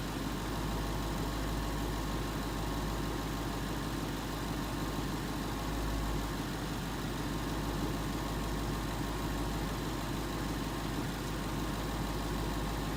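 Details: 2011 Ford Mustang GT 5.0 Coyote V8 with Roush exhaust at first start in an echoey garage, after all eight rod bearings (King CR868SI) and TTY rod bolts were replaced and 5W-30 added: smooth, steady idle, deep burble; earlier tick and knock gone.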